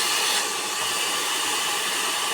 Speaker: Kasi once na yan ay lumis yung kanyang yung mga blade niyan, siyempre hindi napapantay yung takbo. Magkakaroon din siya ng ingay.